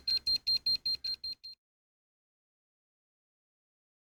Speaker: I'm using an electromagnetic radiation tester to show where the electromagnetic waves are coming from.